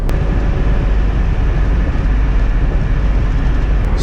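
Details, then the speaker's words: 2003 Chevy Tahoe, 261,000 miles, after replacing failed front U-joint on rear driveshaft that caused vibration from about 30 mph when accelerating: steady, even road and drivetrain rumble at cruise, no shudder; driveline smooth. "Smooth as could be. No more shaky shaky going on."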